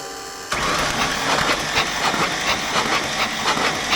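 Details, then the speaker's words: 1993 Ford F700 gas dump truck, long parked, plugs removed and battery connected, cranked to blow stuff out of the plug holes before fitting new plugs and wires: starter spins the engine freely with an even pulse, no binding. Normal free cranking. "it's probably good enough she spins good and easy I'll tell you that"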